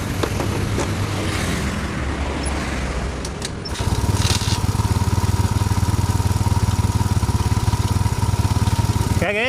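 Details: Carbureted Yamaha Mio Soul scooter brought in for lost ignition: catches after a short crank and settles into a steady, even, smooth putter with a soft regular beat; normal idle, though it still smokes.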